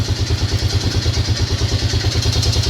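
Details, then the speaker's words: Yamaha Grizzly 600 ATV after carb work; someone had the engine apart before: a cold single-cylinder idle thumping evenly around seven beats a second with a light clatter on top. Internal engine noise, source not pinned down. "So comment down below if you've got if you've got experience with these things, what you think that noise is. Because I know that somebody's had the engine apart and shot the gaskets all the way down to the crankcase."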